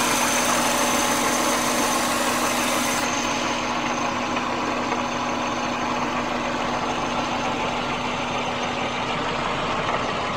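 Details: 1999 Subaru Legacy Outback wagon, EJ25D 2.5L DOHC, 374,200 km: rough, slightly uneven idle with a faint knock coming and going, concentrated at the rear driver's side. Heard only at idle, with more vibration than usual lately. Intermittent knock at idle, cause unknown.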